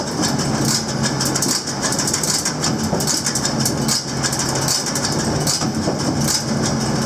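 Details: Krone BigPack baler on tractor PTO, engaged slowly. Regular mechanical clacking a little over once a second over a steady drive hum, no screaming or grinding. Running normally.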